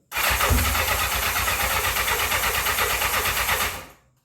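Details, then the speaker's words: 1984 Honda CB700SC Nighthawk in for carb issues. On choke with sour-smelling old gas, the starter cranks steadily at about three turns a second with no firing. No start. "the guests don't smell so hot so yeah I might not want to might not want to start or run too good right now smells a little sour it could be wrong let's try a little half choke"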